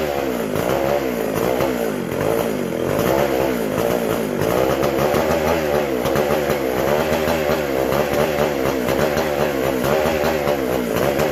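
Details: McCulloch SP125 chainsaw: high wavering scream that surges and hunts; carb not drawing fuel or pulsating, owner unsure the sealed-off gas cap vents the tank; a large carb-to-intake gap was later found.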